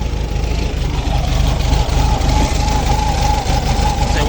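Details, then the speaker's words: VW Beetle (vocho) air-cooled flat-four just started, very cold, owner says carburetor is dirty with clogged jets: uneven loping idle with faint steady whistle, rough cold idle; transmission noise gone after topping up gear oil. "Ahí está, ya subió la gasolina, ya encendió. Está muy frío. Y el carburador está sucio, la verdad."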